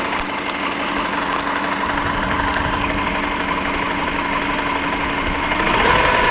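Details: Subaru EJ15 boxer engine at idle: sharp, somewhat uneven knocks about four a second over a steady hum; engine knock, cause not identified.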